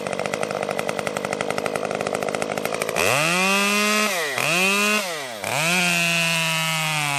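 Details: Stihl MS 194T top-handle chainsaw after muffler mod (inner baffle removed) and tuning, cutting red oak; rough idle, then high screaming rev that bogs briefly in each cut and recovers cleanly without stalling, healthy under load.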